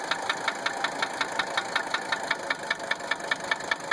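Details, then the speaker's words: 1980 Mercedes 300 SD diesel at idle: sharp metallic knocks, about two and a half per second, over a quiet idle; owner first suspected injector nailing; cause not yet pinned down. "I initially thought injector nailing, but I really didn't have time to play with it, and I wanted some feedback before I started breaking things."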